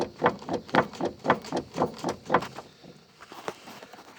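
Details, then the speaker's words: 2013 Chevrolet Spin shock absorber, removed and worked by hand: rapid hollow clunks about two a second from play between the nut and the worn top mount. It caused a loose-underneath noise while driving and was cured by adjusting that gap. "galera isso com o carro em movimento parece que o carro tá soltando tudo em baixo que que acontece Possivelmente Esse colchão foi trocado"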